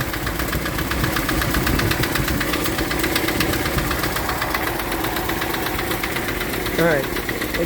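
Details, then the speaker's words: 1965 Ford Thunderbird V8 after rebuild, full cold: runs smoothly but a steady, quick light tick follows engine speed at idle; location unknown, listening down each bank to pin it down. "shut that off. I mean, starts runs good. Well, except for that tick."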